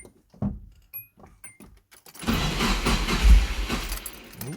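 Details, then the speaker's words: Nissan S13 SR20DET stored a month and a half, low battery, cranked with fuel off on a 20 amp jump starter to build oil pressure: keys rattle, starter cranks with uneven puffs as if catching; owner suspects a leaky injector. "she wants to go she wants to go on fumes actually if it's going maybe that's a leaky injector"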